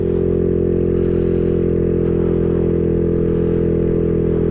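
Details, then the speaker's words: Maddog 150cc GY6 scooter climbing Pikes Peak Highway, held at full throttle on a flat section to clear it: steady drone with an uneven, blubbery stutter. Rider thinks it is loading up. "You hear that stutter? Oh, that's not good. I think it's actually loading up."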